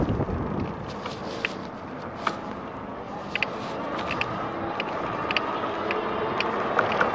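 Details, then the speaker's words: RadRover e-bike riding: sharp ticks about four per second in step with pedaling over wind rush, whether pedal assist is on or not; clicking from the pedal crank area, bearings suspected, unconfirmed. "If you're hearing the clicking, that's totally coming from my pedals. I mean, not the pedals, but the whatever that part is called. Ah, it sounds horrible."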